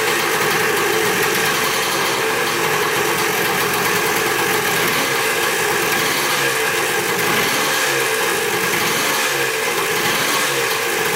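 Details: Dirt bike bought in a four-bike lot, first start after checking the petcock and carburetor and refitting the spark plug: a crisp, even, high-pitched two-stroke buzz with no stumbles or rattles; normal idle. Throttle threads found stripped afterward.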